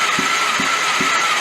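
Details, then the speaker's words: Homemade Microburst 600 side-by-side engine cranking at a slow, even thump about every 0.4 s with no firing; compression reads about 60 psi on most cylinders and 50 on one against 180–200 spec; the gauge is being checked, cause unconfirmed. "these guys are supposed to be 180 to 200 and something or other something going on here"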